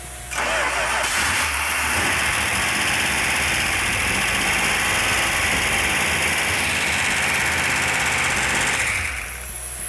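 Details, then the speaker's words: 1971 Dodge Demon (Mr. Norm's car), distributor rotated to retard over-advanced timing: fires and runs steady with a loud hissy roar and light top-end ticking, normal valve train noise; oil leak, suspected at oil filter adapter, found after. "Valve train's a little noisy, which is normal."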